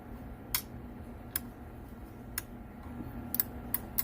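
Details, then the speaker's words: Car audio amplifier (Big Dog 911 Tramp 3-pill) after repair: bad relay found, preamp gutted and fixed, blown transistor replaced; sharp clean single clicks over a quiet hum as the preamp relay engages properly, invert circuit also working. "invert circuit's still working fine preamps working fine both switches are off preamp on you hear it engaging this perfect brother"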